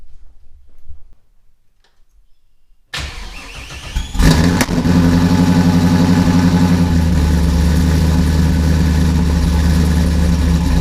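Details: Procharger-supercharged 4th-gen Camaro with LQ4/LS1 V8, first start after front-mount intercooler install with new oil and filter: after a quiet pause it cranks, catches within a second and settles into a smooth, steady, even idle.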